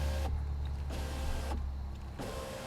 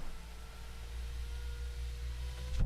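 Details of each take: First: BMW E90 new rear window regulator, window switch plugged in and operated from the back: motor hums in short runs, cuts out and restarts partway up; owner suspects it needs a computer reset. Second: BMW E90 rear window regulator DIY; the second window, previously misbehaving with low readings, now runs fully down and up with steady motor hum, no grinding, clean stop, apparently fixed itself: normal power window operation.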